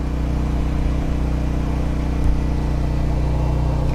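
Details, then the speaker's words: Pulsar G12KBN dual fuel 12000 W generator, full synthetic 10W-30, powering a 4500 W water heater, 61 Hz, mic moved closer: steady deep drone, no surging or hunting, holding speed evenly; healthy under heavy load. "Anywho, yeah, it's working. It's heating up some water"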